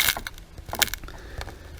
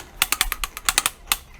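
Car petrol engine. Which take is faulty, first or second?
first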